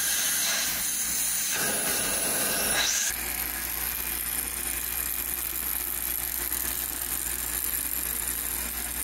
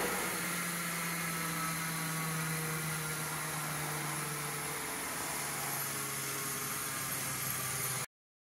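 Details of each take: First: Early Spencer turbine central vacuum, restored: brief rising whoosh then steady airy rushing hiss at full speed, smooth with no knock or grinding; running normally with excellent suction. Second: Restored 1908 Spencer Turbine central vacuum with new brushes, voltage slowly raised on a variac: steady low hum with droning rumble and hiss that shifts; around halfway to full power the machine vibrated alarmingly; excessive vibration from mounting resonance.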